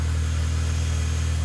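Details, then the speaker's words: B8, first start after a CTS BOSS 500 big turbo install, not yet tuned; smooth, deep, unbroken idle hum with no ticks, knocks or surging; slight smoke from new exhaust parts burning off; normal idle. "there's a little bit of smoke as you would expect with any new like exhaust product it's just burning off the stuff that kept it on the shelf so I'm gonna let it run for a little while"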